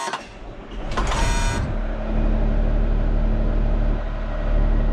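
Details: Road grader diesel after fixing the starting problem (shutoff shaft lubed), auxiliary pump unhooked, on fresh fuel: a few clunks at startup, then a steady, even low rumble with no misses or knocks; normal running.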